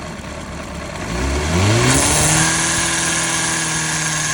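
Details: 2005 Honda CBR600RR: idle, then a quick rev and settle; a steady high hiss and whir ride over the engine note and hold as revs drop, cause unclear.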